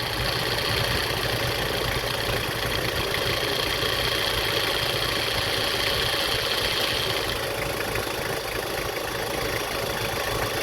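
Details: Toyota Prado idling steadily with the air conditioning on, an even hum with no belt squeal, after fixing an AC squeal noise.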